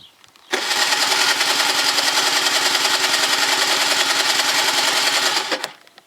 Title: scooter won't start after winter gilera dna 50